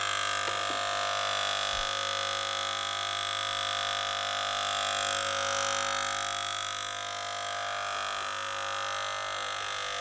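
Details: Gaggia Cubika espresso machine that heated and pumped but gave no water, after disassembly, cleaning and syringe priming: steady even buzzing pump hum with regular pulse, no straining or sputtering; delivering water normally.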